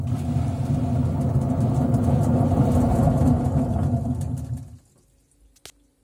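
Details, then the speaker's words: LG washing machine, drum spinning at 400 rpm: heavy gravelly low rumble from a worn drum bearing, louder at higher drum speeds. "когда вас будет изношен подшипник то при вращении барабана будет вот такой вот звук надеюсь микрофон передаст"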